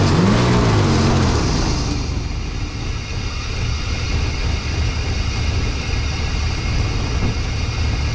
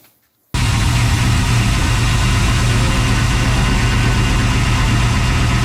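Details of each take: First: 1992 Chevy C1500 with its original small-block Chevy 350 TBI, recorded just after an intake change with the timing badly set: uneven, lumpy idle with a low rumble that hunts and never settles; it did not start right; rough idle from incorrect ignition timing. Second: 1992 Chevy C1500 with LS1/T56 swap, first start on standalone harness without radiator: catches after a short silence and settles into a steady, even V8 burble with no knocks or misses; runs healthy.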